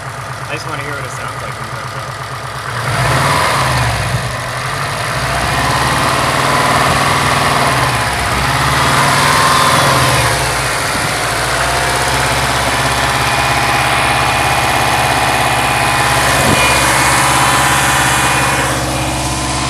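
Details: 2005 Subaru STI with blown short block, turbo engine at idle and 2000 rpm: hollow rhythmic knocking over steady drone, piston slap.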